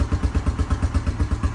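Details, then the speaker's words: 2000 Honda Foreman 450 ATV, single-cylinder, just started via starter button with jumper box, carb uncleaned. Steady thump about eight beats a second, no misses or clatter: clean normal idle. "Well, that definitely was our problem there. So, now we can get rid of these crappy wires and this switch. Um, and it actually sounds really good."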